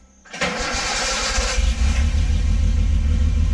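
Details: First start after mock-up exhaust install on a project car: brief crank, then catches and settles into a steady, even low burble at idle; healthy and smooth.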